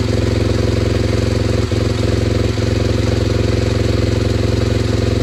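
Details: SWM RS125R single-cylinder 125 at 9,564 miles, idling just after top-end rebuild (valves, timing), no coolant pipes connected: steady even beat with faint metallic jingle, black smoke burning off assembly oil; runs cleanly.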